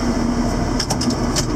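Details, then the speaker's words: 7410 diesel tractor just fired up after an in-frame engine rebuild, with the injector pump bled to the tips: steady, even diesel idle with a low rumble and no knocks or rattles, and it sounds healthy. "Get that far. We'll just go like so. She sounds good. She sounds good."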